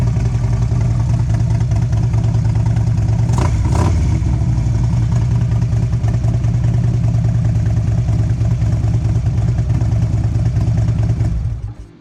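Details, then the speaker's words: 2011 Harley-Davidson Road Glide CVO with partially gutted exhaust, baffles removed, rear lowered: deep, loud lumpy idle with a couple of sharp throttle blips; open, booming exhaust note. "And This is what it sounds like with the baffles gone."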